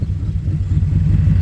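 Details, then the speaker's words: Subaru flat-four on first drive after a DIY engine rebuild: deep lumpy idle with an uneven off-beat thump in the exhaust pulses, sounding down a cylinder; misfire at idle. "Here it's down a cylinder. Now it sounds like a Subi. Down a cylinder now."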